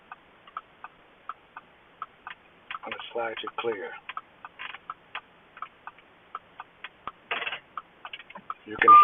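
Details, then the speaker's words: Quick train of sharp light clicks, about three to four a second in a quiet cabin, from the keyless-entry steering lock flagged faulty (Q7-00288); actuator cycling normally. "can hear it clicking, so it's working."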